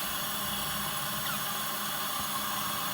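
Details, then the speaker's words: Audi TT 1.8T 20v APX K04 engine in Karmann Ghia, engine off, intake pressurized: constant airy hiss as air escapes out the side of the diverter valve; boost leak at diverter valve. "I think the diverter valve's leaking out the side. Yep, did you hear that? Out the side."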